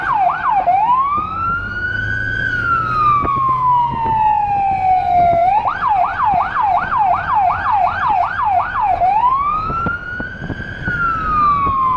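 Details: Small emergency car in Budapest with a Federal Signal Rumbler (180–360 Hz) beside the high-pitch siren, recorded from inside, where it sounds softer. A rising-falling wail switches to a fast yelp and back over a faint pulsing low rumble: both working.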